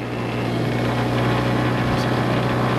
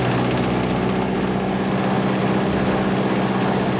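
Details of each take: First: Mooney M20J fuel-injected Lycoming aircraft engine during hot start after flight, 750 rpm idle; steady prop drone with uneven pulsing, spitting and popping; flooding loads up the plugs, mixture pulled back; rough running from fouled plugs. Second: Lycoming fuel-injected Mooney M20J after a restart while hot, using mixture as throttle: low, even idle at about 650 rpm with a brief dip, leaned out. Normal idle.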